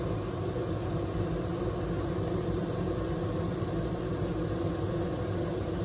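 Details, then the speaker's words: Maxxair roof vent fan suddenly stuck running at full speed, steady even roar, cannot be turned off; failed motor driver. "this just started running on full"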